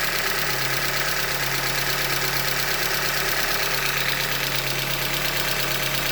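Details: 2015 Hyundai Elantra Limited, 91,000 km, idling: sharp, fairly regular knock near 170 per minute over a steady idle, engine knock from short block failure, a Hyundai manufacturing defect.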